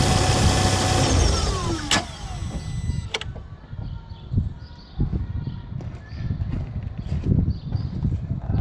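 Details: Ford Focus ST 225 at engine turn-off: the engine runs then cuts, and irregular ticks and a faint whirr carry on afterwards, an odd noise after shutdown with no clear cause.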